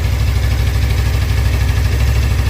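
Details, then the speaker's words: Suzuki GSX250R fuel-injected bike after fuel repair, idling on low fuel for the first time; previously it stalled once fuel dropped to mid-tank. Steady, even low idle with no misses, ticks or hunting; no fuel leaks seen. Normal idle. "that's the lowest this bike's been able to run without fuel sounds good sounds good going to let it run for a minute"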